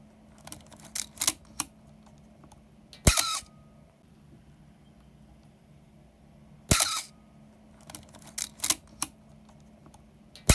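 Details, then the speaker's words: Canon A-1 film SLR (A-series) before repair: three drawn-out, squeaky, slow mirror/shutter releases, a sign the gears next to the mirror box need lubrication, fixed by oiling through the bottom lid. "let us start by seeing the initial condition the mirror releases slow and has a very peculiar sound"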